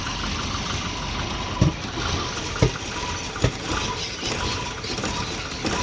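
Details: Volvo 240 rough idle: stumbling with an uneven thump roughly every second; O2 sensor gave erratic readings when exhaust reached temperature, fixed by a new exhaust O2 sensor.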